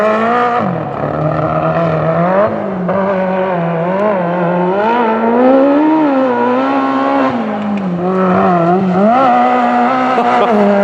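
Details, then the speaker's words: Magnum super buggy V8 at Joe's Speedway, last session after hours of float and jet changes to the new carb: engine note wavers and sags unevenly, a fluttering stumble on and off throttle; suspected fuel delivery, flutter persists. "we've been here for several hours now just making numerous carb adjustments and we still just can't get that little flutter out"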